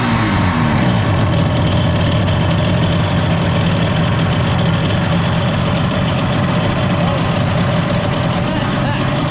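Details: 1994 Kawasaki 750SX two-stroke jet ski, about 30 years old, revived after years unused, cooling water on: steady, even buzz with a low rumble and water splashing. Running fine, brown flush water and oil/gas smoke.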